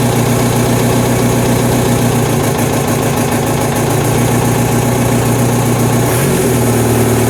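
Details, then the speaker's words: VW MK1 Rabbit TDI with replacement engine, new starter and rebuilt fuel pump: diesel idles with a loose, uneven rattle of about four knocks a second. Persistent death rattle; source unknown, fuel pump doubted. "Well, death rattle is still present, which honestly makes me wonder if I'm looking in the wrong places for it."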